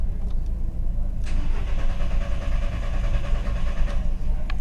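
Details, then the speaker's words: 2000 VW Beetle with P0322, intermittent stalling and hard starting, scan tool showing a flatline and zero RPM while cranking: a steady low starter churn with no firing across five seconds, a crank-no-start from a failed crankshaft position (G28) sensor. "just going to check my lines uh under the hood or at the sensor make sure that I'm still connected but it looks like I got a sensor that's not putting a signal up"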